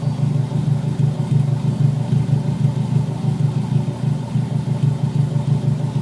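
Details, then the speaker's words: Subaru SOHC EJ257 hybrid rebuild (low-mileage STi block, new pistons) at idle after a custom stainless up-pipe install, running rich without upstream O2 sensor: steady, even low idle, soft regular pulse, no ticking or puffing; no exhaust leak, healthy. "But the engine sounds good. Doesn't even sound like it has an exhaust leak,"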